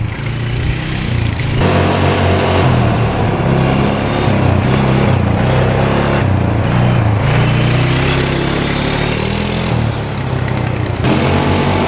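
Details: 2013 Polaris Sportsman 550 EFI EPS 4x4 ATV a dealership deemed not worth fixing, cleaned up and test-run with its switch disconnected: single-cylinder thump rises and falls cleanly with throttle, no misses or knocks; all gears work, reverse, high and low. Normal running.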